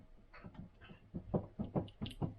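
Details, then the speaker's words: Austin Allegro A-Series: the failed driveshaft, removed and worked by hand on the bench, gives irregular dull clunks about four or five a second. Worn CV joint with a lot of play compared with the smooth replacement used shaft. "There's there's a lot of play and rattling there compared to the other one, which, trust me, just feels a lot smoother."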